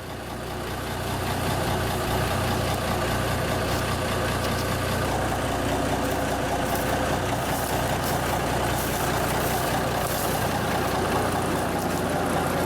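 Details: 1974 Kenworth W900A with Cummins NTA420 diesel, started first try after three years sitting on a borrowed pickup battery: steady, even low diesel clatter at idle with no misses or knocks, echoing inside a building; running healthy.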